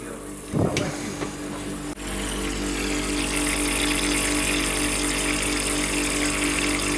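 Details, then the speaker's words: Heat pump hydronic system: a steady hiss of pressurised water spraying from a burst pipe bend on a fan coil unit, over a faint pump hum; a large leak with awkward access for repair. "donc on voit la fuite est balaise qu'est-ce que çacoup le réparé je sais pas l'accès est pas évident"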